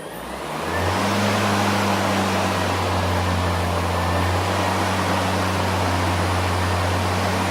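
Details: New EGO LM2142SP 21-inch dual-battery self-propelled brushless cordless mower, first switch-on at unboxing with mulcher fitted: motor spins up within a second to a smooth, steady low hum and even air rush; running normally.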